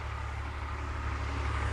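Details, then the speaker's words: BMW E46 (330i/325i) after ZF 5HP19 transmission rebuild, shifting into drive then reverse: smooth low engine rumble, no engagement clunks or gear whine; both gears work. Normal running. "Going into drive. All right, drive is good. Let's go to reverse. Yeah, reverse is good. Well, everything seems to be working, which is excellent."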